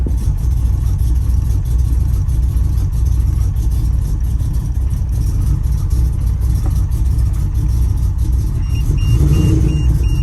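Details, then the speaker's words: 4.1L stroker Nissan Maxima engine with JWT cams, ported heads and Holley Hi-Ram, first start after build, warning lights on: loud, low, uneven roar with lumpy pulsing and no steady beat; running rough, cause unknown. "All right, so we at least got it started. Now we just got to work out the kinks with why it's running as rough as i"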